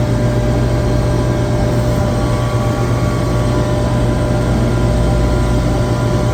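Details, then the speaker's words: Well-balanced compressor on a chiller circuit runs with a smooth, even low hum and no knocking, rubbing or surging. A vibration analyzer barely registers it. A low discharge superheat alarm was traced to badly miscalibrated sensors. "this compressor which everyone knows the compressor should be well balanced but man it is barely barely even [Music] registering"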